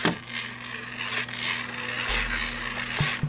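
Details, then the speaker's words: GoPower Flashlight radio's cheap plastic hand crank being turned: irregular sharp plastic clicks over faint hum as the crank arm catches and rubs against the flashlight body. "something I'd noticed, when you're cranking it, sometimes this part here can literally go up against the flashlight as you're cranking it, and it makes this noise."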